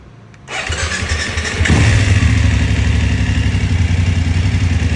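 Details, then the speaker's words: BMW F750GS, about 3 years old, ~29,000-30,000 km, after replacing faulty electronic throttle and coding: starter whirs briefly, engine catches cleanly into steady even idle, no misfire or stumble; engine warning gone, working normally. "โอเคฮะก็ทำงานปกติแล้วนะครับ"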